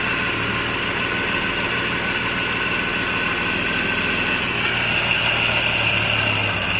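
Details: 1989 Jeep Cherokee 4.0L I6 Renix, AW4, on a new DieHard Platinum AGM battery: steady, even idle with a smooth low hum, no knocks or misses, healthy engine.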